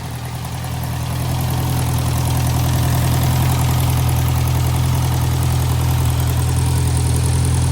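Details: 1956 French-built Massey Harris Pony 812 tractor, Simca 9 gasoline engine, after fuel pump rebuild: steady low even idle at about 200 firing pulses a minute, no misses or knocks; no fuel leak, good oil pressure, charging.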